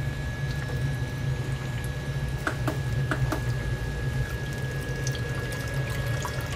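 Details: Basement Watchdog Special (Pro Series 1730) backup sump pump, rated 1730 GPH at 10 ft, test-run submerged with a float lifted by hand, about five feet of lift, third-generation reconditioned controller: steady low motor hum under rushing, splashing water, even and unbroken; pumping normally.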